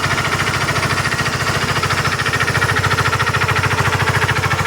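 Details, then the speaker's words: Honda CBR150 V2 engine idling with a steady, rough knocking rhythm; already fitted with a new tensioner, timing chain and guide not at fault; diagnosed as a worn crankshaft side (main) bearing. "Kapagka ganyan mga bro ang tunog ng makina niyo, side bearing lang po ang sira niyan."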